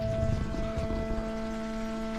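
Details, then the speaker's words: Motorhome fresh water pump after repeated pressure switch adjustment to stop pulsing: steady, even motor hum with no pulsing, then a clean stop; normal operation, though loud and possibly needing cleaning. "Hear the pump running. And off. There you go. So, no pulse."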